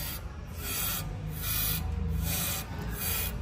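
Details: Hyundai HB20 on a lift with the steering turned: dry rasping creaks repeating with each steering movement, from a broken front upper strut mount; steering terminal to be removed first to rule out the steering rack.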